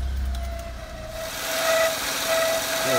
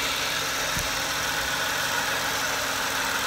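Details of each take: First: Peugeot 107 idling, auxiliary drive belt not loose but could be tightened more: thin steady squeak wavering near the end from the belt area; belt squeaking rather than squealing, owner suspects tension. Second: Peugeot 107 auxiliary (alternator) drive belt after tightening at the adjusting bolts: it was slightly loose and made a squeaking/whining noise; now a steady, even idle with a faint hiss and no chirp or squeal, belt running quietly.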